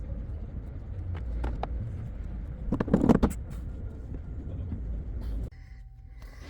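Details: 1989 Volvo GL wagon, non-turbo B230 red block, driven with zero oil pressure and the oil pressure light on: engine rumbles under way with uneven heavy knocks bunching up under load, rod knock from oil starvation.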